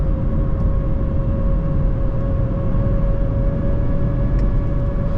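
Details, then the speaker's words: 2024 Mazda CX-30 Turbo Premium AWD, 227 hp, 6-speed automatic, after a 0-60 run: a steady mid-pitched whine over the road rumble at highway cruising speed; sounds abnormal, source unknown. "What is that sound? Maybe someone can tell me, because I don't know. Definitely doesn't sound normal."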